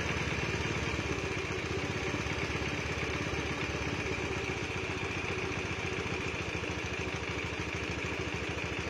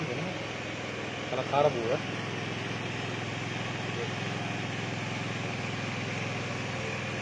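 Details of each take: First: Honda Beat (carburettor model, standard engine) fitted with a PE24 carburettor, after idle and mixture adjustment: steady single-cylinder putter at a low, even idle with light mechanical clatter and no surging; normal settled idle. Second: Honda Beat with a standard engine and a newly fitted PE24 carburettor, before rejetting and while still tuning: a lumpy, uneven idle pulsing three to four times a second; running rich, needle to be changed.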